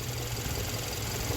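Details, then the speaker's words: 2013 Hyundai Sonata idling about five minutes after codes were cleared, check engine light still flashing, P0014 and P1326 codes: deep heavy knock beating steadily with a rough, shaking idle as the engine rocks badly. Rod knock, engine failed after recall service. "so I'd idle it sounds okay but take a listen to this look at how bad this thing is rocking right now"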